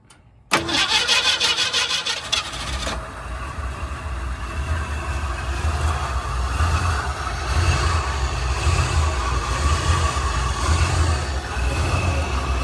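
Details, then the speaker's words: 1967 Ford Mustang with a 302 V8, stored since 2008, first start after fuel was poured down the carburetor: about two seconds of cranking, then it catches and settles into a steady, even idle with no knocks and no fuel leaks. Quieter than expected and healthy. "No fuel leaks that I see. Doesn't sound too bad. No, it's not as loud as I thought."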